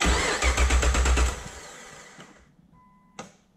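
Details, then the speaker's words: Nissan Patrol with swapped 6-litre Chevrolet L98 V8 on new engine-bay loom, start attempt; starter cranks in even beats about 160 a minute and winds down without firing because the throttle pedal was unplugged. "Fuel pump's been a bit funny. It all makes the right noises, except the last vroom vroom."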